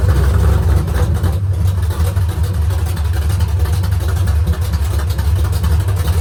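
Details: Rebuilt engine on straight open headers at first start, idle set low; deep loud idle with busy clatter on the low rumble, better with more rpm; valve lifter rattle, lash to be rechecked, lifters maybe not pumped up yet.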